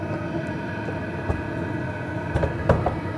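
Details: PH21A 2 kW 12 V diesel parking air heater after the glow pin switches off, running on its own flame: steady, even roar with a constant blower hum, no misfire or pulsing.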